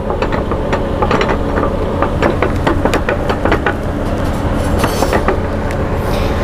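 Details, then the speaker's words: Freightliner Cascadia truck, differential damaged by running with low oil level: rapid string of sharp metallic clunks and knocks over a rumbling driveline, heard while driving on the road; driveshaft-driven part spinning then banging as it engages. "es el ruido que podían escuchar cuando el camión estaba en marcha cuando estaba caminando sobre la carretera"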